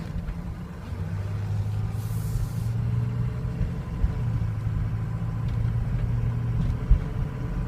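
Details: 2003 Ford Excursion 6.0L Powerstroke diesel at warm idle: low idle wavering and dipping unevenly, beat faltering now and then. Problem appeared over two days, worsens warm, can stall; cold starts fine; cause unknown.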